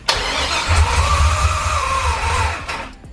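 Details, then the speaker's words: LS crate V8 in a 1999-04 Mustang drift car, first start-up checking oil pressure with injectors unplugged: catches on first crank, runs loud and ragged about two seconds then dies, suspected burning residual fuel, possibly leaking past an injector. "it just turned on I don't even need it for it to turn on none of the injectors are floating"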